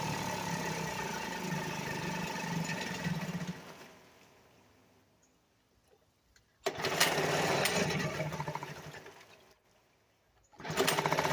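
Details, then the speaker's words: 1975 Sears Gamefisher two-stroke outboard after carburetor repair, in a water barrel on only a couple cups of gas: rattly idle, dies, restarts and stalls again; owner suspects low fuel, carb needs adjusting. "I do know this thing doesn't have enough gas in it so I only had like maybe a couple cups to put in it so it may uh it may not have enough gas in it"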